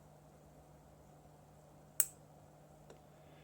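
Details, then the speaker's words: Arduino-style solenoid driver, after adding a part across the power supply: one crisp snap, then a faint tick, in a quiet room. The solenoid now actuates normally every time. "and it works again I'm not sure if you guys can hear the solenoid snapping on there you might be able to see it move when I touch this on here and it works every time now"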